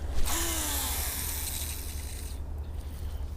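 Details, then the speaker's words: Mid-1990s Shimano Curado Bantam CU 201 baitcaster, cast with one brake on after cleaning and lubing: dry, hissing spool whir for about two seconds fading as it slows; bird-nested but less noisy than the first cast before restoration. "Well, we bird nested the heck out of it. It looks like, I think it went farther. Definitely wasn't as noisy as when we casted it the first time."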